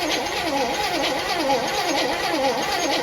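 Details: 1964 Chevrolet Impala after nearly 50 years sitting, fresh battery: slow uneven cranking about one beat per second with a wavering wrong-sounding tone, no firing; good spark found afterward; abnormal cranking, no start.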